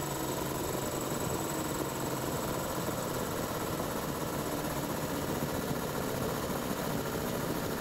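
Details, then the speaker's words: Cobalt air compressor, filling from 0 psi during a timed fill test. Steady, even motor and pump drone with no knocks or surges as the tank fills; normal running. "granted this one is quieter um but not by that much but that one is way faster than filling a 20 gallon tank"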